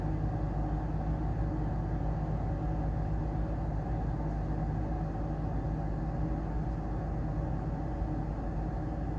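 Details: Amana 95 IIQ two-stage variable-speed gas furnace on heat call with variable-speed draft inducer and main blower: steady even low rumble, no knocks, rattles or squeals; normal operation.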